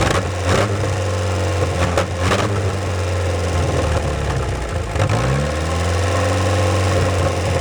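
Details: 1949 Willys F134 four-cylinder, rigged 12-volt starter, long unrun: even beat holding steady with a brief rev on choke, no knocks or misfires, firing on all four, slight smoke possibly from hung-up rings; normal running.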